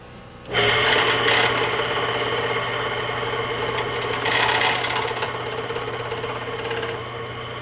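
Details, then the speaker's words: Older Mastercraft woodworking lathe after capacitor replaced and switch bypassed: motor starts with steady hum but loud fast metallic chatter on top, like something loose inside; owner suspects a part touching, unconfirmed. "well at least it turned on but it sounds like something's loose in there so I have to figure that out"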